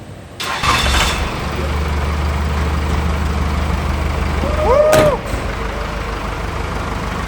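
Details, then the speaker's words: 1984 Chevy K5 Blazer with Cummins 4BT diesel, first start after compound turbo kit install: brief cranking, catches and settles into even idle with short rev blip; sounds healthy. "All right, we just finished up the install. We're going to go ahead and fire it up. Let's see how it goes."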